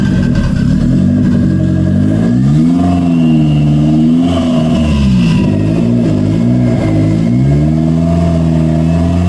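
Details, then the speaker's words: 1992 Toyota MR2 project car after the throttle cable fix: idle settles evenly and revs climb and drop cleanly with each blip; throttle responsive, idle problem fixed, normal running. "it works um I really I really can't say anything bad it feels good uh the throttle is pretty responsive as I as I give it a go"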